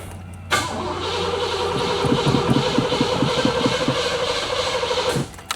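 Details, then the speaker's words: Car restarted after dying while driving: engine catches and runs about four seconds with an uneven thumping rattle underneath, then stumbles and dies; owner suspects a plugged catalytic converter backing up the exhaust between muffler and converter. "Oh, you hear that? And now it's going to die. Yeah, I hear nothing but rattling around underneath the car. Yeah, she's plugged up."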